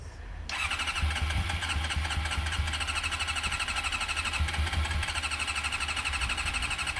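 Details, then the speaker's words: Cold Honda CM400 motorcycle cranking in cold weather: starter whirs steadily at about 2.5 pulses a second but the engine never catches, starting to smoke from the exhaust; owners blame the cold, possibly no accelerator pump. "It's so cold. No, stop. It's just too cold."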